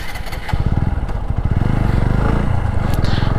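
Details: TVS Apache RTR 4V motorcycle: heavy, fast, uneven low thumping under the exhaust at steady revs; abnormal engine noise, cause not determined.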